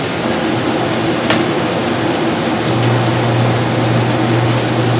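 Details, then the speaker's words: RV rooftop air conditioner with a SoftStartRV installed, on 30-amp shore power in 70s weather. Steady fan rush, then the compressor kicks in smoothly about 2.7 s in and holds an even hum. "We have the second AC running on 30 amp. That's what RV Soft Start's all about. Being able to run both of them on 30 amp."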